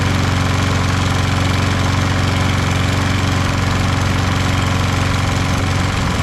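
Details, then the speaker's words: Toro Recycler with Kohler XT675 mower, after draining overfilled oil (the smoke cause), valve lash adjustment, PCV cleaning, and bending and siliconing the front bumper to stop its vibration: a steady, even single-cylinder beat with no rattle or buzz. Normal running. "So we also fixed that bumper in the front, cushioned it, bent the front fender or bumper back out again so it fills that gap, put some silicone in between there, and now it doesn't make that vibration noise."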